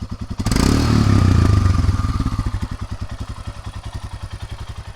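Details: Royal Enfield Himalayan after many miles on a trip to the 2021 Sturgis rally: fires at once, blips up, then even thumping idle about four beats a second; runs really perfect.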